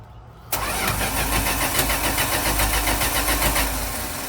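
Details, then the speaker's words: 1983 Dodge D150 won't start: starter churns evenly about three and a half turns per second but engine never fires; no spark seen, smoky, owner suspects bad plug wires and notes a slightly leaking intake gasket. "We gotta have spark. Did you see that? But I don't see no spark. What the hell is going on?"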